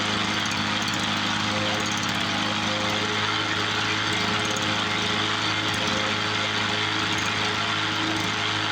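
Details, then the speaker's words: 1986 Toro 21-inch commercial mower with Suzuki two-stroke engine, apparently unrun for years, revived: steady, even two-stroke buzz with crisp high rasp, no stumbling or surging; air filter needs replacing, carb to be blown out; normal running. "yeah it sounds like a two-stroke should"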